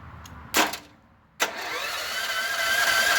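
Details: Long-forgotten auction generator engine, starter wiring bypassed: two sharp clicks, then starter whir rising and steadying as it spins the engine over; normal cranking, spark not yet tested.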